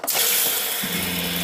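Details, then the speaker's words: Jayco RV water pump that had run without pumping water, now primed after a switch fix; water rushes from the tap while a steady low pump hum starts and holds even, and the pump stops when the water is shut off; normal running. "that sound when i stop the water the pump stop and that's the way it should work"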